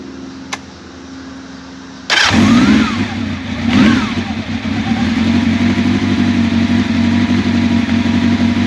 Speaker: The motor runs smoothly. It starts right up.